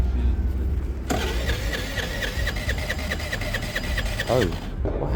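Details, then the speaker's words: A friend's Piaggio, cranked on the starter with an even, quick rhythm for about three seconds before the note abruptly changes; it never fires; engine issues suspected but the cause is unclear. "did you hear that there was a note change I reckon it's got engine [Music] issues it's weird it's weird"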